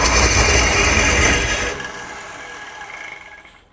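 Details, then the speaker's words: 1968 Ford Torino with suspected seized engine, fuel not yet hooked up, electrical smell noted: harsh, fast rattling whir while cranking that fades without catching; owner suspects a failing starter, possibly clogged exhaust, engine not locked up. "Well, I'm not sure what that sound is, but it doesn't sound good. Sounds like the starter might be shot. But, at least it's not locked up, or otherwise it wouldn't be cranking it over."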